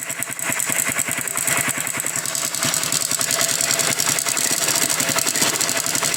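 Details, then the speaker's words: Honda Biz 100 at idle: fast, dense metallic clatter over the small single's idle, steady and loose-sounding; mechanic is about 90% sure it is the cam chain, engine also smoking. "mas esse barulhinho que apresenta na Biz 100 é corrente do comando tá muito provavelmente seja o caso dessa aqui é bem parecida é corrente do comando é 90% que seja corrente de comando"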